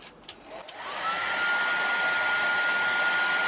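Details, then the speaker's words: Maestro MR-212 1800 W hair dryer, reassembled after cleaning the burnt thermal switch contacts: motor spins up and holds a steady, even whoosh, with no cutting out after five minutes. Normal running after repair. "शक्ति पर चालू किया, और आपने देखा: पाँच minute बीत चुके हैं, और हेयर-ड्रायर बंद नहीं हुआ।"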